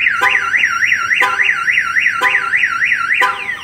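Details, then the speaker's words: Viper 5706V alarm/remote start installed on 2013 Chevrolet Silverado, armed, door opened without disarming: rising-and-falling siren warbles with horn blasts about once a second; kill switch blocks cranking; car alarm triggered. "going to show you on here that your alarm is going off"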